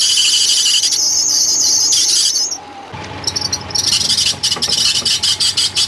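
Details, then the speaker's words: 2009 Subaru Outback 2.5L running: shrill, high steady squeal over the engine breaks into fast fluttering chirps. Mild to moderate power steering belt squeal, pulley suspected of slipping on the belt; a hydraulic fluid flush is planned. "what you all just heard was a mild to moderate power steering belt squeal what occurs is your power steering pulley slips on your power steering belt creating that sou"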